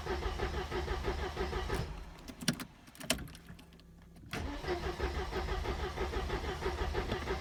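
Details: 1986 Mercedes W124 230E automatic, cold: long rhythmic cranking, a brief pause, more cranking, and it never catches cleanly. Hard cold start; it runs only with starting spray. When warm, idle drops to 400–500 rpm in D/R and sometimes stalls.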